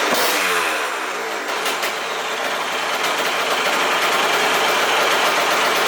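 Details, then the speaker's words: Aprilia RS50 frame with YZ85 two-stroke engine, after fitting oil-soaked clutch plates to fix juddering starts: crisp idle, then stutters and breaks up as throttle opens, bogging under load; cause unknown, owner suspects tuning. "i took it out on the street as soon as i hit it just it just died immediately just bogged just right off the"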